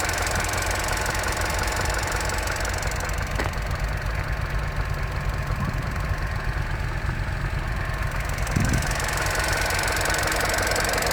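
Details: Opel Corsa D 1.4 100 PS, warmed up by about 10 km of driving: a light, even injector ticking over a smooth warm idle. This is normal injector noise, not a fault.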